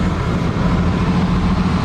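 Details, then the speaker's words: 1976 AMC Gremlin, off the road 32 years, started with a replacement radiator fitted to cycle coolant: steady, low, even idle with no misses or knocks, settling into a healthy idle; "running perfect." "oh it's running perfect it's like we know what we're doing"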